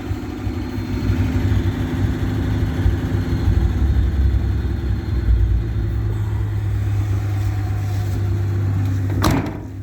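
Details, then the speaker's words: Old truck, either the 1967 GMC panel truck or the 1978 Ford F-350 ex-U-Haul, with a 3-speed column manual and the choke pushed in: deep, steady, even rumble with no knocks or rattles. Normal idle. "Oh yeah, listen to this old girl just purr. Like, I'm not kidding."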